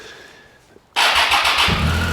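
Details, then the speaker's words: Triumph Tiger 800XC, 21,569 miles, hot restart after long warm-up and new OEM starter fitted: brief crank, catches at once, steady idle, great throttle response; starting issue cured. "Fires right back up. Great throttle response. Everything."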